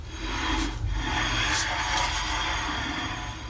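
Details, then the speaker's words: Rover P5B front right wheel, car jacked up and wheel spun by hand after it pulled right under braking: dry scraping rub each turn. Caliper binding is suspected; the other side sounds even worse. "as I suspected this and binding going on there I can hear it quite clearly"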